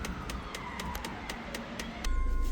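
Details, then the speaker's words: High-mileage Peugeot Boxer van after DPF reverse-flush cleaning, additive refill and parameter reset: additive (Eolys) tank pump gives quiet regular ticks about four a second, then a faster buzzing pulse; pump activated and working normally. "We can hear that the pat fluid tank is now activated. So I don't know if, hope you can hear that on the camera. You can hear the tank ticking."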